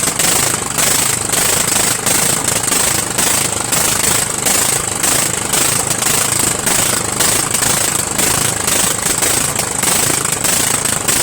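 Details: Murray 14.5 42" Widebody LT lawn tractor engine running on gas, fuel solenoid working, muffler off: harsh very loud rapid open crackle, raw bark every firing; loud exhaust from missing muffler.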